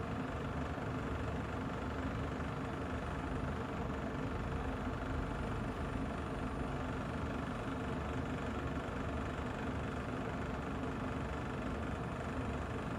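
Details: Kolin aircon less than a year old: a steady buzzy rattle over the unit's constant running hum; something inside vibrating loose, cause unknown.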